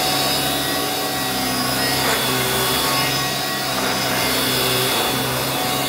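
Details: Electrolux 612E (600 series) upright vacuum with newly fitted Qualtex brushroll, lowest setting on carpet: steady motor hum with even rushing brush sound, no rhythmic knocking or slapping; brushroll running normally.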